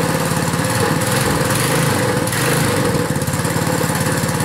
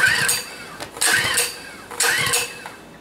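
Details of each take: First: Small single-cylinder pull-start engine, cold-started after hard pulls, settles into a steady, even putter and runs on its own without stumbling; normal running. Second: Small engine cold start at about minus 16, gas and choke on: three hard pulls about a second apart, each a short rasp and cough that dies at once; owner suspects cold or fuel flow. Cold no-start.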